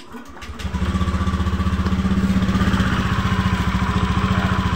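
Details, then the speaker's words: Honda Beat FI v2 scooter starting and idling after the CVT parts were refitted with the case cover off, rapid rhythmic rattle on each beat; noise persists, confirmed as the crankcase bearing, whose loose ring lets the drive shaft wobble and vibrate; worn crankcase bearing. "Inay pa rin dito maingay Crank Cas nga to oh magr dito sira yung ano Crank case confirm Crank case yung sira"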